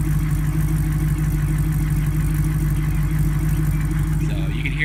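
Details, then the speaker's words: 1987 Jeep YJ Wrangler with an LS V8 swap, cold start idle through a stock Tahoe-type muffler: a deep, steady idle with a loose, buzzy exhaust rattle. "the exhaust rattling one more"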